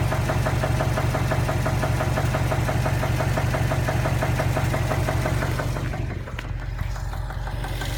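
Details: 2015 Subaru STI, warm after a 2–3 mile drive, idling with a steady, evenly spaced knock about three per second over a deep rumble; sudden onset, no warning lights.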